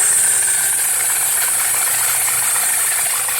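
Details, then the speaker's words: 2010 Volkswagen CC 2.0 L engine first start after swapping out the bad engine, hood open, check engine light on: steady, even idle with light quick valvetrain ticking, no misses or knocks. "is running it sounds good looks like uh-huh I might eat you okay all right the car is running praise God"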